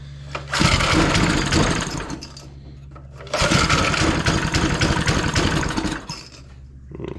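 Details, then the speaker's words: Briggs & Stratton-engined gas air compressor just fired on one pull after reassembly, racing then sagging and hunting unevenly; owner suspects a clogged main jet or withered carburetor diaphragm. "tell me the main jets clogged no doubt or the fancy little diaphragm in here is withered just like the briggs and stratton engineers intended"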